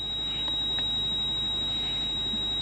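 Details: Steady high-pitched tone in a quiet cabin of a 170-series Toyota Crown Majesta (1UZ-FE V8) during scan-tool diagnosis; ABS warning buzzer, failed ABS pump and low accumulator pressure.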